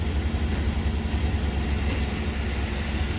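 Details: Cat-eye Ford truck idling on its quiet stock exhaust, which the owner calls pathetic before fitting a new exhaust: a low, soft, even idle rumble with no knocks or misses, a healthy engine.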